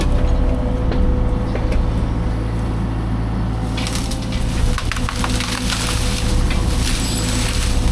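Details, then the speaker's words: Fecon forestry mulcher after rebuild/overhaul, freshly greased, cutting a test brush pile: steady low drum hum holding speed while wood cracks and splinters; normal operation. "But yeah, so the testing of the mulcher went really good. And everything's working the way it's supposed to."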